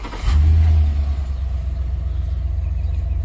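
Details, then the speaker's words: 2004 Chevrolet Silverado 2500HD 4WD, 6.0-liter, rodent-chewed wiring shorts: it cranks briefly, catches within half a second and settles into a steady, even low idle with no misses; tach still dead. "Now the vehicle will crank, start, and run."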